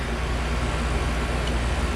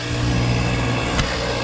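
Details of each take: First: Carrier mini-split condenser after replacing a compressor whose internals blew: smooth, even hum with steady fan rush and no knocks or squeals. Cooling well and pressures good; compressor and fan running normally. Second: Carrier mini split compressor with blown internals, high and suction pressures barely changing: rough gravelly churning over a low motor hum, like a garbage disposal, scroll heard spinning; compressor failed.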